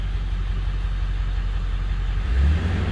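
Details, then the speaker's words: 2001 Ford F-550, 7.3L Powerstroke, after ICP sensor replacement for code P1247 and a Hydra PHP tuner install, first start on program 2 (high idle): steady rumble lifts and settles at a raised, even idle. High idle works normally. "So we'll see if this starts. Awesome. So let's see if high idle works."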